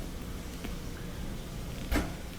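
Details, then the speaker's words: Maytag dryer after belt replacement, test run: low even drum rumble with one soft thump as load tumbles, no squeal or slapping; drum turns smoothly. "there we go press start last time that's the sound we like"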